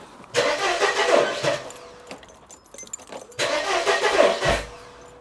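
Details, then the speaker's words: 1994 Mercedes W202 C180 after rewiring the throttle body, coil pack and injector harness: short cranking bursts catch unevenly and stumble without running; misfire, suspected firing order or coil pack wiring problem. "looks like something is misfiring, so could be the firing order. So what are we looking at here? We're facing at a coil pack problem."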